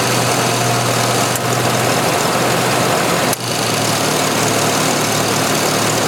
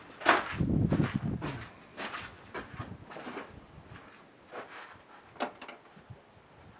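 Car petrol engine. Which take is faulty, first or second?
first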